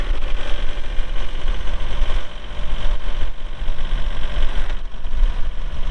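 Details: 2022 Kubota L3902 4WD gear-drive tractor with loader, 107 hours: deep, even diesel idle with a steady low rumble and no knocks or misses; engine sounds healthy after starting.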